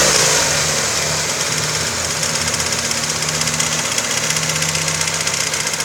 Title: Стук в двигателе. Цепь? Вкладыш? Клапан?